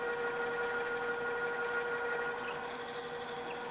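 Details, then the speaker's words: Drill press re-run at lower speed after chattering from drill deflecting at too high speed: quiet, steady cutting tone with no chatter or squeal; drill now cutting smoothly. "so we'll try that again this time run it on a lower speed the drill is cutting much more smoothly now"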